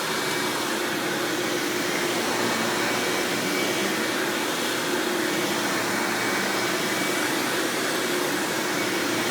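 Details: 1997 Hoover Dirt Finder Power Drive self-propelled upright vacuum, model U6331-930, Elite style, running: even, steady rushing whir, no rattle, thump or squeal; motor and brush roll smooth, surprisingly quiet, normal running.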